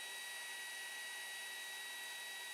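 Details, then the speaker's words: Small fan added to a WD MyCloud network drive to stop overheating; steady high-pitched whine near 2 kHz with fainter overtone over airy rush, annoyingly noisy, to be replaced with a quieter fan; cooling fan whine. "bit annoying a bit of a wine to this fan doing if a nokia fan would be much better"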